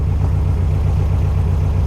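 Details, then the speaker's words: 1964 VW Karmann Ghia outlaw, air-cooled flat-four, after tie rod replacement and disc brake conversion, on test drive; low even chugging idle with steady beat, no ticks, knocks or stumbles, idling fine. "Everything sounds good, it's running. Yeah, it's good."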